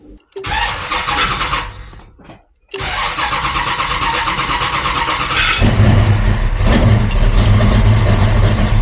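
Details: HG Holden with a Ford Barra turbo conversion, fired up; the owner noted a spark plug was coming off. Brief crank, it catches and settles into a steady, even idle with a smooth rev rise and no misses.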